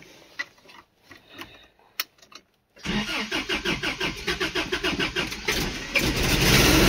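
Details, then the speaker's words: 1986 Toyota 4WD truck, 22R engine, freshly rebuilt carburetor: slow cranking, engine catches and stumbles unevenly, needs throttle or dies, loud exhaust/muffler leak; hard starting and poor idle traced to carburetor float level set too high, flooding. "gotta get it give it some gas to start it up no foot on the gas it'll die I gotta give it a little bit of throttle yeah sorry don't mind that exhaust leak she's running a little bit rough"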